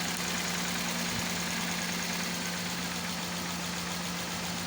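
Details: Toyota Corolla EFI engine misfiring at idle: a steady low hum with a faintly uneven, loping beat of a few pulses a second.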